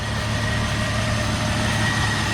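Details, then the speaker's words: 2001 Jeep Grand Cherokee Laredo 4.0 six-cylinder at idle, warming up after radiator and serpentine belt replacement. Smooth, even idle with a steady low hum and no misses, knocks or squeals; no coolant leaks now. "So far, no leaks, nothing just running out like it was before."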